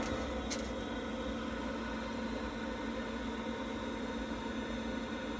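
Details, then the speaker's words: Worcester Bosch 30i ErP combi boiler, about five years old, after refitting the missing air intake silencer that had caused loud banging: steady soft hum and fan hiss, no bangs or thumps, now running normally. "Right, with that all back in, all seems to sound fine now. Happy days."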